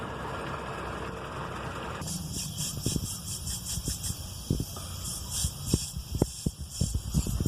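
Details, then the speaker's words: Pressing the brake pedal: an airy hiss of escaping air with soft clicks and thumps, from a vacuum leak in the brake booster, likely broken internal diaphragms letting the engine vacuum escape. "esto es debido a alguna fuga de vacío en el bóer de frenos este elemento absorbe el vacío del motor para potenciar la fuerza de frenado que tú aplicas con el pie"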